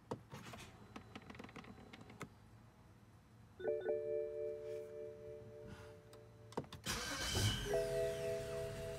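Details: BMW F10 535i N55 after replacing the faulty starter with a Bosch unit: a few chimes and clicks, then a short crank that catches fast and settles into an even idle; starter engages cleanly.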